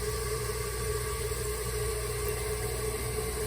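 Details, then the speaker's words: Toilet tank refilling after a broken flapper was replaced with a new one. Steady, even hiss of water through the fill valve with no gurgle; the float rises and shuts the water off, and no leaks are heard afterward. "And it should settle and cut the water off. And the water's now cut off, and we'll listen for leaks."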